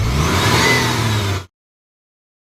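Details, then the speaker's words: Maruti Omni after the fan belt was tightened at the adjusting nut to cure a winter squeal: engine starts and runs evenly with no squeal or chirp from the belt, with headlights either off or on. "ये light of देखो of है तब भी कोई आवाज नहीं on कर दूंगा देखो ये यह लाइट ऑन फिर भी कोई आवाज नहीं"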